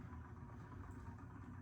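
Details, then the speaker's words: Year-2000 Heritage Alexis ceiling fan running on high speed; steady low droning, gritty rumble under the fan hum: worn motor bearings, noise unacceptable, bearing replacement planned later (separate from the capacitor fault being fixed). "Bearings are no good on this thing."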